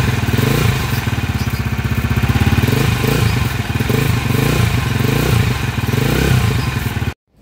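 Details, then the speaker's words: Honda TMX155 engine after timing gear replacement, still noisy; had stalled and lost compression from a broken push rod. Loud, uneven metallic clatter at about four beats a second over the running engine; timing gear noise from damaged timing and cam gears. "Ayon so narinig niyo yung andar niya mga kaabo so timing gear isue nito mga kaabo"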